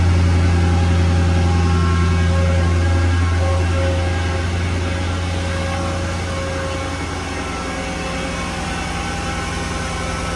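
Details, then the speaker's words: Mercedes-Benz E55 AMG W211 V8, Japanese import, started up: deep, steady rumble that settles slightly lower and stays very even, no ticks or knocks; normal healthy idle. "And we'll start her up just so you can hear her."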